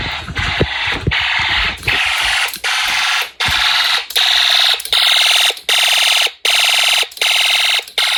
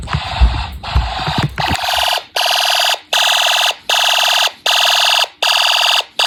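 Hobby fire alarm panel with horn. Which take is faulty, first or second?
second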